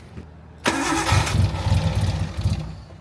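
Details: RB-engined Nissan 240SX: starter cranks and it fires, runs ragged for about two seconds, then fades out; the cam angle sensor was checked and the coil pack is suspected of not getting steady power.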